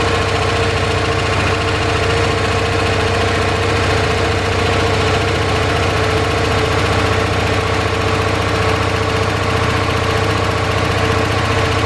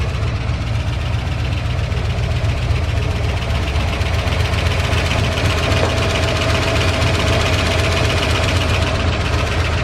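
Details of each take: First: 1978 Dodge D150 V8 after fixing top-end lifter tick following cam and head swap (new lifters): even, steady idle, valvetrain clatter gone, only a faint light tick believed from the exhaust; normal idle. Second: 1978 Dodge D150 V8 at idle after cam, lifter and head swap: light rapid top-end ticking about four a second over steady idle; lifter tick, factory pushrods found too short for the new setup.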